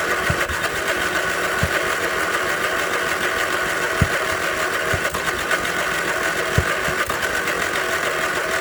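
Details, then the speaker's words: 1981 Westwood Gazelle W11 ride-on mower, tired low-compression engine after winter storage, on a booster pack with a flat battery: starter churns with odd sharp pops but never runs; cranks but will not start, spark plug found quite fouled. "you can hear it wanting to go with the spark plug out you can see it's quite fouled"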